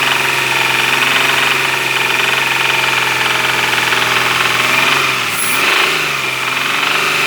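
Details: Engine knock: steady idle with a sharp, light knocking rhythm throughout; source not identified.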